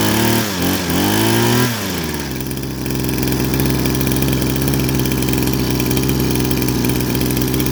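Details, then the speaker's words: Small pressure-washer engine after cleaning the carburetor jet: catches after a brief rev, then settles into a steady, even idle with no stumbles or surges. It previously bogged and stalled on throttle; now normal. "เดินเบานี่เงียบเรียบร้อยนะติดเครื่องเดินเบานิ่งเงียบเรียบร้อยส่งงานได้ครับจบการโม้ครับ"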